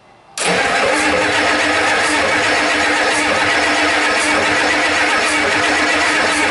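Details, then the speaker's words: 1989 Ford 7.3 IDI non-turbo diesel cranking steadily without catching; fuel not reaching injectors, tank selector valve suspected stuck. "like I said before we think that the valve is stuck on this so you're not getting front or rear tank spin on it like a fire then yeah all right back to the drawing board"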